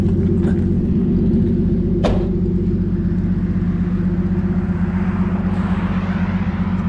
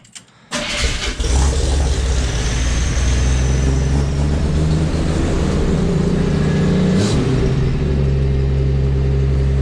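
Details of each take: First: 1981 Chevy C10 squarebody, warm, after tightening an exhaust bolt: low, even rumble, steady beat about two and a half per second, no misses; smooth normal idle, exhaust leak noise gone. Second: 1981 Chevy C10 squarebody, cold start, owner knows power steering fluid is low: loud, fast cold idle with a steady high screaming tone over it; power steering pump whine.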